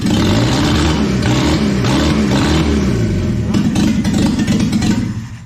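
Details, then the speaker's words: Land Rover Series 2 2.25L four-cylinder engine newly rebuilt and fitted in a Series 1 107 chassis, first start after fixing a loose earth: revs up under throttle, holds an even beat, then falls back; running cleanly. "what a pleasure to hear that engine raw back to life fantastic"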